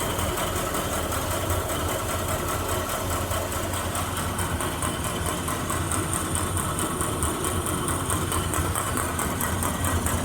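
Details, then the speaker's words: Grob 4V-36 bandsaw running: steady motor hum with a light tick about four times a second, once per blade pass. The blade is straight and the guides look new; a rough blade weld is hitting the guides. "Blade weld, Yeah, that's the blade weld's not so good, eh?"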